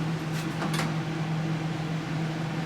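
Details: Breville Smart Oven test run after repairing bottom elements that were not heating: an even, steady low hum with a soft fan rush and no rattles or buzzing; the elements heat up and the oven runs normally.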